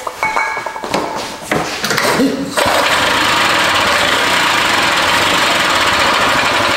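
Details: Barn-find Harley Davidson golf cart engine, fuel line newly fitted plus ether, carb adjustments guessed: sputtering cranking bursts, then catches into a loud, rough, raspy run; hard starting, better than the night before.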